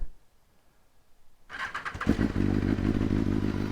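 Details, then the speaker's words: 2020 BMW S1000RR, cold start on a roughly 45°F December day, after coils failed twice before (battery possibly a little low): a short crank, then it catches cleanly into a steady, even fast idle. Normal cold start. "we'll get the cold start going on this one oh that sounds great"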